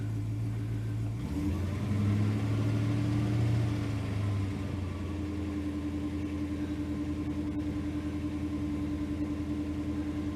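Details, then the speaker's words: Holden HK 253 V8 just after oil and filter change, idling in after start-up, oil pressure just came up: steady, even low burble with a faint whine above, no knocks or misses; running good. "Right, we'll let that idle in. The boat's running good."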